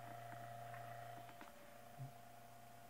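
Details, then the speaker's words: Hunter Century 2-speed oscillating fan, Cat 75 Type D-10, at 118.5–121 V, holding the same motor speed: soft, steady hum with no ticking, rubbing or wobble; normal running. "18.5 so it's running great and get up to mig-29 time 121 and it's running at the same speed because that's the speed of the motor"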